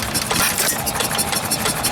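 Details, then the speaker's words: 2 horsepower antique stationary engine at the 2019 Georgian Bay Steam Show: steady chuffing exhaust beats with light valve-gear clatter, no knocks or misses; sounds nice, runs healthy. "Nice. 2 horsepower. Oh, that one sounds nice, doesn't it?"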